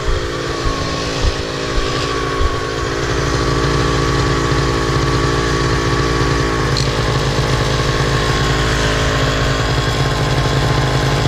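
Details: Miniplane Top 80 paramotor two-stroke started after replacing the secondary ignition coil wire and spark plug boot: a few rough blips rev up into a steady, even buzz without misfires. The engine runs normally after the repair.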